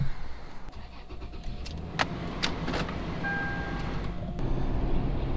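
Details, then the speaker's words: 2006 Toyota 4Runner driven on road, cabin recording: low steady roar seeming to come from right side; customer unsure whether tire or wheel bearing, pointing to worn right wheel bearing. "i can hear the roar sounds like it's coming from the right side"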